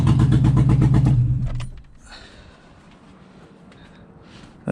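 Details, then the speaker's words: Toyota 2JZ six swapped into a 4Runner, first start without intercooler piping, no boost: raw blaring idle with choppy four-per-second pulse for about a second before cutting out; loud because the external wastegate was left uncapped. "freaking loud okay but it runs holy [ __ ] forgot to totally forgot to put that cap on"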